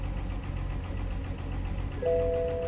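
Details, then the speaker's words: BMW 5 Series showing low coolant, transmission fault and oil pressure warnings though fluids present: low uneven idle rumble with warning chime; engine idling rough, cause unknown, going to shop. "it goes but it's acting it's not Island right so but let me take to the shop"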